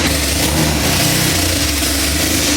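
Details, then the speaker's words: Honda Civic EK hatch, 2.4 high-compression, turbo removed, running naturally aspirated front-wheel drive, no exhaust fitted: loud, raw, lumpy idle with choppy beat and crackle; engine runs clean and healthy. "It sounds pretty fucking good. Sounds good. Only reason it's super loud, there's no exhaust on the car right now."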